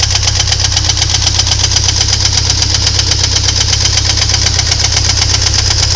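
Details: Ford Thunderbird Turbo Coupe 2.3 L at idle: sharp, regular knock about 160 times a minute over the engine note; owner suspects valvetrain, source unconfirmed.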